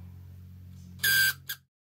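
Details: Canon EF 28-80mm zoom lens: quiet hum, then a short harsh squealing grind as the focus motor drives, and a brief second chirp; lens still works, cause unknown.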